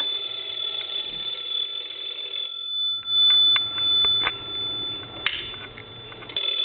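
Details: Repaired PTT Stone telephone, final check before return: clear, steady high-pitched bell ring with a few handling clicks between bursts; ringer strong and even, working properly.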